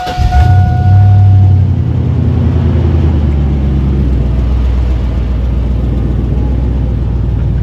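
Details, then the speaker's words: 2001 GMC Sierra 1500 C3 with 6.0L LQ4 V8, fuel tank nearly empty, has a stored lean code for cylinder 8: catches with a quick flare, then a deep, smooth, even rumble; healthy idle. "Actually sounds really healthy. I'm quite happy with this, but it's on fumes."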